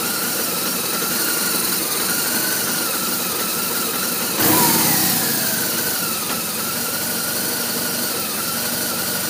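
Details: R1200RT boxer twin idling with an uneven, hunting beat and a wavering mid-pitch tone. Rough idle, cause not yet pinned down.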